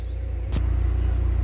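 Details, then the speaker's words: K-Series petrol engine idling after a new coolant tank and coolant refill: one clunk near the start, then a smooth, steady low pulse with no ticks or misses; normal idle. "to that just purring like a kitten"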